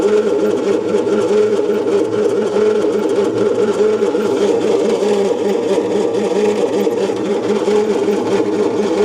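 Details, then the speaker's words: 1972 Bedford J series truck, long sat without air cleaner, good spark: even rhythmic cranking that never catches or fires, some suction felt; ignition timing found out at the distributor. "Strange. It's not doing anything at all. And she's got a bit of suction there, too."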